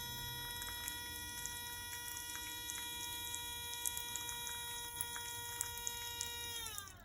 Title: The hose faucet outside. Making a strange noise. Haha 😂